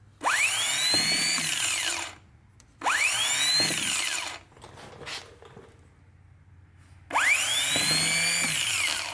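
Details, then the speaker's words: Bench test of a Summit Racing mini high-torque starter for a 1990 Chevy Camaro 350: three times, a sharp whine rises to a steady high pitch and winds down. It spins freely with quite a bit of torque. Starter good. "quite a bit of torque cool so we know that both of these starters are good"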